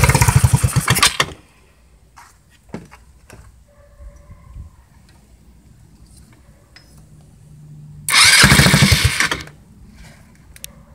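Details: Go-kart engine, first start after sitting 5 years, with a new carburetor and a temporary push-mower fuel tank: small single revs up crisply in two bursts, dropping back to a quiet idle between; normal running engine.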